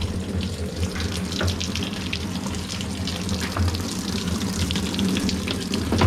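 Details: Hitachi SF-160XTV 16 kg washing machine that would not power on, with steady rushing water filling the tub at an even, low flow over faint music; the washer fills normally.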